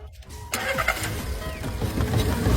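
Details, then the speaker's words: Secondhand car that would not start at night but started by day, after repair: a brief crank, then the engine catches at once and rises into a steady, even run with no stumbling. A clean, healthy start, and the problem is solved. "started successfully come on take a look at the [Music] engine tell the pastor that he doesn't need to come look the engine runs very smoothly the problem has been completely solved"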